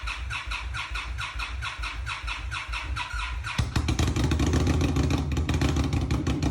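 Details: Fuel-injected Indian Scout Bobber motorcycle, cold: slow, uneven cranking drags on before the engine finally catches, a hard cold start. Cycling the ignition to prime the fuel pump did not help much. A fuel tuner is suggested as a possible fix.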